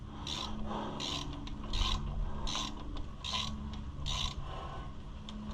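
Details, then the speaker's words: 2016 Ford Super Duty front wheel bearing turned by hand on a truck that sat over a year: a gritty, rasping grind pulsing a little over once a second. The worn bearing is being replaced to chase a noise. "Yeah, that sounds like crap."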